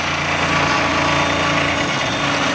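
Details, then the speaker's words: 3018 CNC engraving aluminum: harsh high-pitched rattling buzz over the spindle whine, the end mill chattering and the Z assembly vibrating all over the place. "all right it's chattering a lot and vibrating all over the place"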